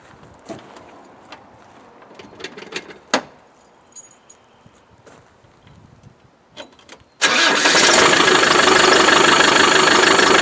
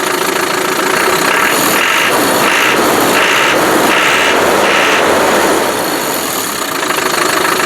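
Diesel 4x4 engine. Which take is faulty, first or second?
first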